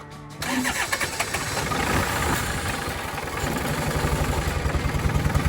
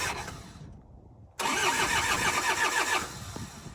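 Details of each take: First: Diesel tractor that had run out of fuel, after refuelling, bleeding the lines to the injectors and heating the glow plugs: cranking catches and it settles into a steady, even idle clatter at about four beats a second; running normally. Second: Cold diesel tractor that ran out of fuel, being bled after refuelling, glow plugs used: steady starter cranking at about three and a half turns a second with no firing. Fuel is just welling up at the injectors; air is still in the fuel system.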